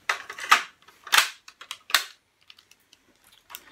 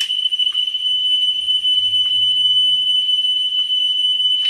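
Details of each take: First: Pioneer CT-W205R 1990s auto-reverse double cassette deck during service: sharp mechanical clicks and clunks in quick bursts as the head flips between sides. Very noisy, but this is normal auto-reverse mechanism noise, no fault. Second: Pioneer CT-W205R 1990s auto-reverse double cassette deck during service: steady 3 kHz test tone with faint clicks as the head screw is turned; azimuth trimmed for highest pitch, 10 kHz check to follow.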